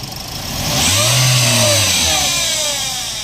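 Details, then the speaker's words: Toyota Vios gives a thin whine that rises and falls with quick revs around 1,000–3,000 rpm; the owner had already replaced the alternator bearing, water pump and tensioner, and the noise is traced to the transmission, where the transmission oil pan is deformed. "natin wala yan dito dito yan sa may transmission so titingnan natin ano yung problema"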